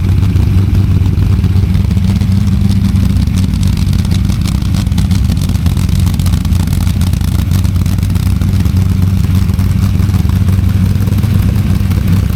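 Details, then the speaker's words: Freshly built small-block Ford V8 on a DIY engine run stand for break-in, before a planned fuel injection swap: deep, even rumble holding steady speed with no knocks, ticks or misses; normal healthy running. "I'm just going to add right on the end here um a very short video of the engine running on the stand so you can hear what it sounds like"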